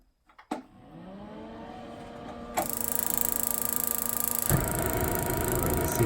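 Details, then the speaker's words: DeWalt portable propane heater after its thermocouple was cleaned with a wire brush, fired up outside on propane: a click and low hum, then a steady rushing roar that builds and holds even. Burner lights normally. "It's hooked up to some propane. I'm gonna go ahead and fire it up."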